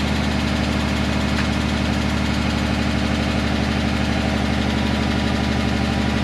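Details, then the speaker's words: 2010 Dodge Charger 3.5L V6, cold start after timing belt, water pump and thermostat replacement: steady idle with a fast, even light lifter tick. This is described as common on cold starts until oil pressure builds. "You could hear some lifter noise when I first started the engine up. Not uncommon. This thing cold starts, that lifters, they tick away like tickety tack tack, clickety clack clack. They just keep going."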